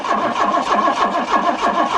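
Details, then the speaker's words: Car that had not run or driven for over a year, being revived; starter turns the engine about three compressions a second with no firing or catch; cranks but won't start. "nope doesn't start all right so it's the next day i couldn't get it started yesterday"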